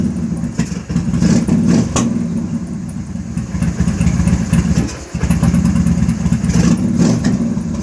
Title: rough idle, carb popping off